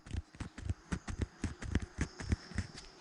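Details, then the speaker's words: Keeway Superlight 200 front wheel bearing turned by hand after removal: irregular gritty clunks and crunches, about four a second; crunchy grinding from a worn, corroded race, suspected water ingress, to be replaced with new well-greased bearings. "that is uh crunchy and grinding so i reckon some water going in there at some point"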